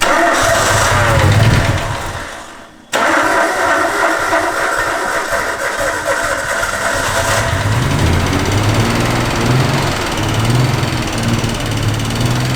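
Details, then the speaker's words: Stolen, thrashed Nissan R32 Skyline that would only idle with the pedal floored, running after a return-line test showed fuel was arriving fine. It runs unevenly and stumbles, with a brief cut-out near 3 s and a lumpy beat that never smooths; misfire getting worse, cause unconfirmed. "After all that, it only got worse."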